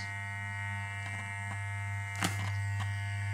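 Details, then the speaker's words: Wahl Super Taper clipper with replaced motor and blade, running. Its motor adjustment screw is turned clockwise until a hard, loud buzz appears. "Setelah suara keras terdengar suara keras, kemudian diputar seberlawanan arah jam. Untuk dapat ke suaranya hilang."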